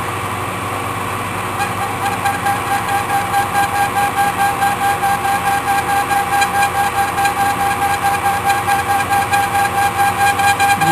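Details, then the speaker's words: Machining cut on a part for a free-energy generator build, with a steady ringing squeal and pulsing flutter about two beats a second. The tool is chattering after the setup got thrown off by about 5 on the last grab; the exact cause is unconfirmed. "can hear a chatter here so it definitely got thrown off somehow"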